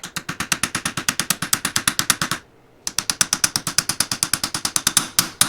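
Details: Stuck starter bendix drive from a 1962 Ford F600, turned by hand off the truck: sharp, even clicking about three per second, a pause, then more; ratcheting and sticking, with gummy gunk inside suspected.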